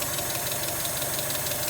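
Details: NA Mazda Miata after cam bolt repair, ignition timing set to 10 degrees with a timing light: even, steady idle with a quick regular beat and no misses, pinging or rattles; normal idle.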